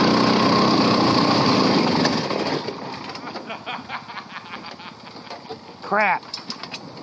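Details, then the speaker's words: 670cc V-twin go-kart with new dual carburetor setup and two Predator 212 race mufflers; loud running settles to a softer, fairly steady warm idle, about four beats a second, no miss or knock; idles well once warmed up. "I'm impressed with it. It actually idles pretty good once it's warmed up."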